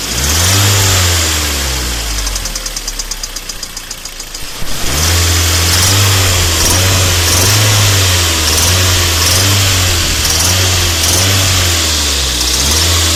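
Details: Kia Sportage 3 at a steady idle with a regular dull tapping from inside the engine that follows the revs when blipped. Internal engine knock.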